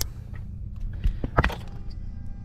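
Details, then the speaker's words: At key-on after unplugging the connector suspected of blowing the 10 amp fuse (engine died after plug change and contact cleaning), sharp relay clicks over a low steady hum as the fuel pump primes; system powers up normally. "now you can hear the engine is alive there's there's um you can hear that there's there's sounds coming from the engine which wasn't there before"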